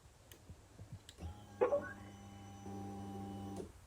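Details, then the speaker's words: Husqvarna TE450 after a fuel pump replacement, key on: a steady low whir for about two seconds in a quiet room, then it stops. The fuel pump is priming normally, and the bike then starts fine. "fuel pump is pumping and she started up all right not too bad of a job"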